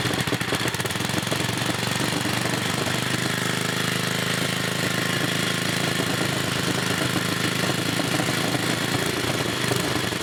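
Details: 1980 Montgomery Wards 2200 W generator with 5 HP Briggs & Stratton single-cylinder on a NOS replacement block, test run: steady, loud, even busy beat, running normally with no smoke.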